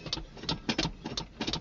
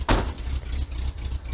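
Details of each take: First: 1980 Ford F150 with 351M and factory 2-barrel carb, cold start in winter with choke disconnected: cranks with quick clicks, catches, then cold, lumpy idle that surges and sags; rough cold running without choke. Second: 1980 Ford F150 351M V8 on a cold day: deep, even, lumpy rumble holding a steady rhythm after a brief knock at the start; owner says it always sounds like this; normal idle.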